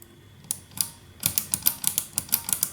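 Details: 1974 Harman Kardon 730 Twin Powered receiver, final check after cleaning: crisp clean clicks from the selector switches (speaker A, speaker B) one after another, no crackle or scratch; contacts operating normally.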